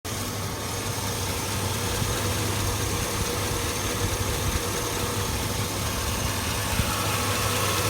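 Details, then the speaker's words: 2002 Chevy Avalanche 5.3 L V8 with check engine light on: a light, quick tick over the idle rumble, constant from start-up on the left side; owner suspects a cracked manifold, muffler or valve lifters. "it's making the noise now that sounds like a manifold but to me that sounds like a manifold it's cracked"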